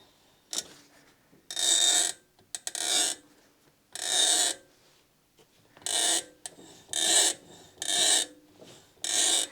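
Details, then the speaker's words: MINI Cooper 1275 Automatic, front right wheel spun backwards by hand: rough, gritty rumbling grind in bursts about once a second, suspected worn front wheel bearing though no play felt; previous cheap bearings, new Timken set bought. "I wonder what that is, but I really do think it's the bearing. It sounds a bit rumbly."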